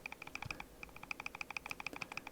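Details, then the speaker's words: RC Lancia Delta after a brushed-to-brushless motor conversion: the motor is turned by hand with the cap screws left loose while the pinion-to-spur mesh is set by ear, giving light, crisp, even gear ticking without binding; correct gear mesh. "piccolo rumore qui mi indica che l'accoppiamento è corretto."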